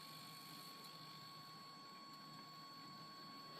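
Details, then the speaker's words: Man Cave Puzzles Ghostbusters RTV model, door servo set while adjusting travel with the transmitter: the door opens too far and a thin, steady, high-pitched buzz comes from the servo straining. "I don't know if you could hear that, but there was a little bit of buzzing. I'm going to move this way. You can see the doors open too much. Now you can hear the servo working too hard."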